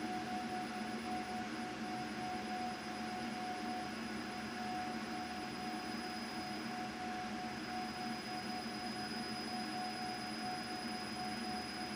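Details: CO2 galvo laser marking with EZCAD at frequency 5 during focal distance testing after new settings: a clear, loud, steady high ring holding evenly throughout, marking cleanly at correct focus.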